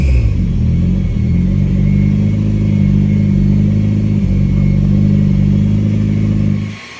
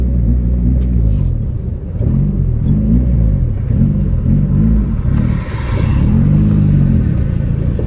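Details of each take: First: 1987 Yugo GV carbureted engine, first start after 15 years sitting, new fuel pump: steady low drone with even firing, smooth idle before shutoff; runs fine on its own, small oil leak at fuel pump. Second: 1987 Yugo GV after 15 years sitting, new fuel pump, first drive on choke, squeaky belt: engine surges and sags unevenly, stalls when gas released, dislikes choke; running rough, cause unconfirmed.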